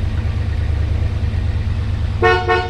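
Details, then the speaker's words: 1968 Chevrolet Impala V8 idling: two short, clear horn toots over a quiet idle, horn strong and working normally. "we already heard the fan and you can see the horn works"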